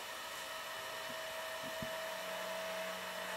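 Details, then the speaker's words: Fostex D1624 hard-disk recorder cooling fan: a steady airy whir with a constant mid-pitched hum, the fan vibrating against its housing, which resonates like an acoustic guitar. "soon as it touches it's really interesting let's see what we can do here but it's almost like it's almost like an acoustic guitar the way this is it's really interesting"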